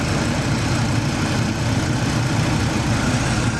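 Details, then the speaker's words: 2012 Volvo S60 first start after timing belt, piston and cylinder head install to fix oil burning and timing issues, battery charged: smooth, steady idle with an even low rumble and no ticking, knocking or misfire, a normal idle. "we got a service airbag light on but that's probably just from monkeying around with it sounds like it's running good though nice and"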